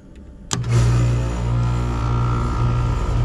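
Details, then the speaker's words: Mobile home AC condenser that wouldn't run, with 87°F indoors, after rewiring to the fan, Herm and Common terminals and restoring power: click then steady low hum as fan motor spins up evenly; condenser fan running normally. "All right. I got the fan on. I can hear that. Yeah. Get it running."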